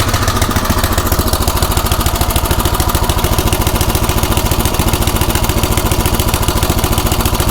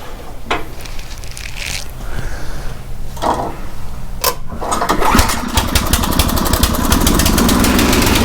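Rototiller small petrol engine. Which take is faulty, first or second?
first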